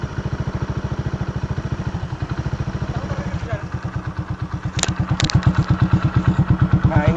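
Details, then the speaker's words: Kick-started Honda Supra V at idle: an even, thumping single-cylinder beat at about three per second with a deep, boomy bass note. The muffler is rusted and porous, so the exhaust leaks. "ini suara mesinnya suaranya agak sedikit ngebahas karena kenalpotnya juga agak karatan kropos jadinya Chung saya ganti jadi suaranya ngebass"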